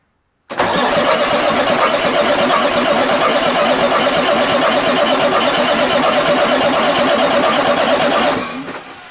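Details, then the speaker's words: Marmon 57P Aero truck, first start attempt on newly installed engine: strong, steady starter cranking for about eight seconds with no firing; turns over nicely but no oil pressure shows on the gauge yet. "yep that starter's pretty good ain't it dang near Lurch the truck out into the parking lot there it goes watch that oil pressure gauge"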